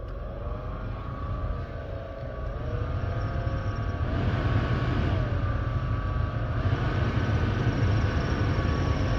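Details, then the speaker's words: 2011 Subaru Legacy cabin blower motor whirring with a rough, grumbling rattle as fan speed steps up and down; it still blows and the motor needs replacing. "I don't know if you can hear the rattling, but it's fucking making some noises."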